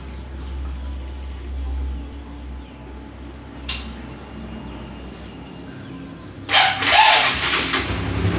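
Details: Honda CB150R StreetFire motorcycle electric starter: a low quiet hum, then a harsh, gritty whirring burst when cranking at start-up, also heard sometimes at engine shutdown; a rough starter motor making a strange noise.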